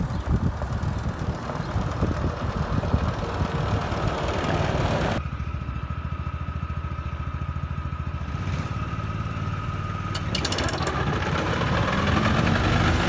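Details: 2013 Walker T23 commercial mower, 23 hp Kohler twin, after years in a paddock and a repair with a new hydraulic line, cutting grass under load: even, steady drone, tone shifting slightly with load, no knocks or misfires; running well.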